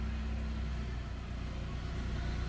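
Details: MG3 idling smoothly after starting again once the 30 A under-bonnet fuse was replaced; car had failed to crank with dead instruments due to a water-flooded, shorted DC/DC converter under the passenger seat. Low, even hum, normal idle.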